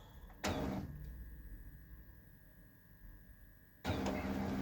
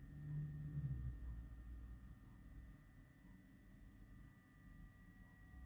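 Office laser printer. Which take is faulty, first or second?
second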